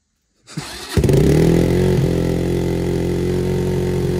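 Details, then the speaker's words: Kawasaki Brute Force 300 ATV after carburetor cleaning, which had been hard to start and would not idle: short crank on choke, catches and settles into an even single-cylinder idle about four beats a second with choke off; carb may need slight adjustment. "works like a charm choke is off it's idling but I could probably adjust that carburetor a little bit"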